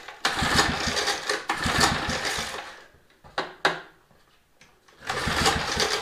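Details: Mower, carburetor just refitted with new gasket, choke on: short bursts of firing that die away, catch briefly, then fade; fires but won't keep running, carburetor removed again.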